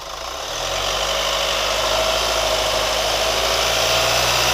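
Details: New Chevy Colorado at quiet idle: light quick top-end ticking about three per second; source unclear.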